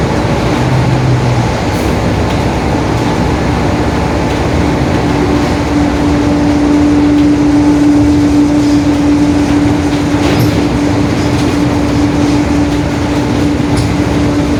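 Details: 2021 Marcopolo Torino S bus on a Mercedes-Benz OF-1721 BlueTec 5 chassis in urban service, riding under drive: a loud drone with a steady mid-pitched howl from a whining differential.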